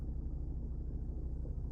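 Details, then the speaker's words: Lada Vesta manual gearbox gear rattle at idle: a fast, rough rattle over the engine rumble, coming from the gearbox, not the engine. It stops when the gear lever is pulled slightly, no clutch needed. Worse under high load with extra electrical consumers on, from engine torsional vibration. "что дробный стук, который идет из моторного отсека, исходит именно от КПП, даже не обязательно выжимать сцепление."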